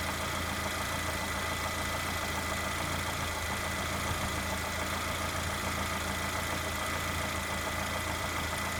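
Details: Lada Granta with 127 engine, hot idle: quick, light, regular tapping over the engine note; knock when hot, source not yet determined.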